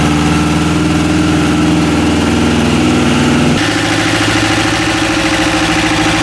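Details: Westwood lawn tractor's Ruggerini twin-cylinder air-cooled vertical-shaft diesel, running after repair from hydrolock with a new starter: steady, even clatter that shifts to a new speed partway through, with no knocks or misses; normal running.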